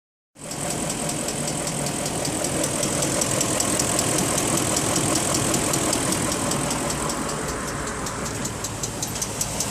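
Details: BMW X5 idling with a sharp, regular tick about two or three times a second over the engine; the tensioner is already new and the cause is unknown.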